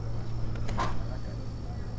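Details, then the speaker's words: Gen 2 Toyota Prius brake bleeding without a scan tool, car off and running on the 12 V battery, door opened: the ABS pump clatters with a steady low hum as it builds pressure, normal. "clattering away so it's pumping up building pressure that's what we want now the car is off and you have to have a good 12volt battery cuz that's what's powering this whole thing"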